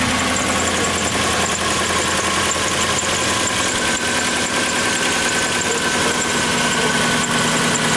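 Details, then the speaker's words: 1997 Lexus SC400 with 1UZ V8, barn find with one previous owner, recorded close at the tailpipe at idle: uneven, stumbling exhaust beat from an engine misfire. "this is what happens bring them to the tailpipe so they can hear the misfire"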